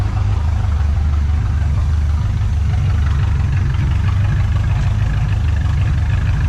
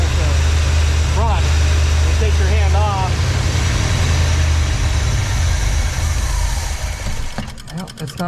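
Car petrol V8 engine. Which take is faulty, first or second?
second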